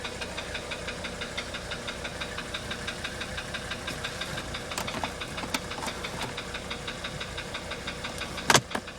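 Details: 1985 Mercedes 300D diesel idling: a sharp, regular knock ticks evenly through the quiet idle. Cause of the knock unknown.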